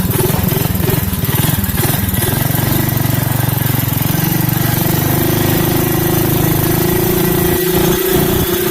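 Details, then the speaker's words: Craftsman 5 hp Briggs & Stratton minibike with CVT belt drive, reassembled, at half throttle on a test ride: it revs up smoothly and pulls steadily with no surging or belt-slip flare; healthy. "Oh, it's working great. Yeah. I wasn't even full throttle there. That was only half throttle."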